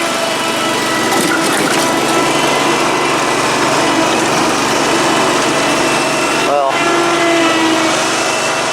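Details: Dixon 72-inch mower with 1200 hours, after a deck pulley repair, restarted by jumping the solenoid: the small engine holds a steady, even buzz with no misses or stumbles. It is idling cleanly.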